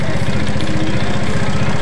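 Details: Yamaha Mio scooter after engine rebuild: steady coarse low rumble with dry, uneven clatter at idle; piston and cylinder scored because a clogged oil filter kept oil from reaching the cylinder head.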